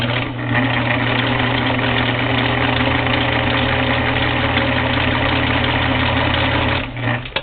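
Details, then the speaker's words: Singer Model 237 sewing machine running on electric motor after tightening a loose motor belt: steady, even motor hum with smooth whirr, no slipping or labouring; runs great, though loud. "so you can hear how loud that is the machine runs great now the belt was a little loose when I was doing those jeans"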